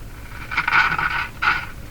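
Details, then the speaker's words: Philco 49-501 Boomerang radio, Canada circa 1949, first power-up on light-bulb limiter at about 108 V: harsh scraping crackle bursts over hiss as volume knob turns; dirty, scratchy volume control potentiometer. "dirty dirty volume [Laughter] control sounds like a radio let's tune it like a lousy radio"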